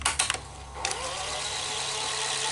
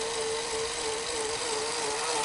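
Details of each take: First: Sony SL-HF900 Betamax reel motor running in reverse: steady, even whir after handling clicks, no grinding. It sounds wrong only in forward; capstan or motor failure is suspected. Normal reel motor running. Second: Sony SL-HF900 Betamax VCR after full service, reel motor tone wavering up and down during fast forward instead of holding steady; suspected failing motor, slightly better but still faulty, to be replaced.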